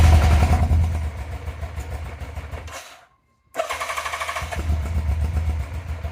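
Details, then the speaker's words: 1987 Yamaha FZR 1000 Genesis, four carbs just cleaned, clutch and brakes flushed, airbox lid missing: engine catches and chugs unevenly, cuts out, stumbles back and won't keep running; owner suspects missing airbox lid or running dry, switches to reserve. "It wants to run. I probably will run, but once again, 3 steps forward, 1 step back."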